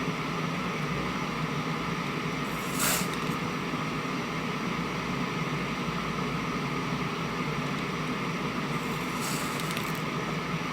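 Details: Constant rushing hiss with a couple of brief crackly bursts in the right channel of a 1971 JCPenney 1758 solid-state stereo, traced to TR20's collector. Freeze-spraying TR20 and moving R110 and C142 change nothing; source unknown.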